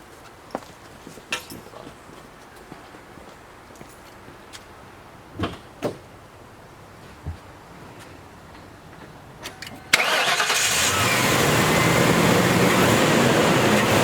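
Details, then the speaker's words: 1997 Ford Crown Victoria Police Interceptor with click/no-crank despite a good battery: after replacing a bad battery cable clamp, a few light clicks, then the engine starts and settles into a steady run. "and there you have it easy fixed battery clamp you"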